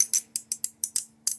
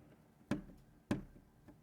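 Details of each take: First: 2019+ Acura RDX with the sunroof wind deflector lifted out and handled: sharp light plastic clicks in quick uneven bursts. The deflector's material rattles loose in its channel, the source of the sunroof rattle complaint. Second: 2019+ Acura RDX sunroof wind deflector (windscreen), flicked by finger through the weatherstrip after fix: sharp single taps every half to one second, each dying cleanly with no buzz; previously rattled badly, now secure.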